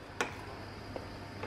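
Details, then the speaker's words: Xinanke hot-cold water dispenser under repair: the warming function, drawing 15 W, is switched off. One crisp click as the heater relay drops out, nothing following; normal switching. "và mình ắn tắt nó đi này đó thì giơ le mình nghe tiếng dơ le nhả tạch hết"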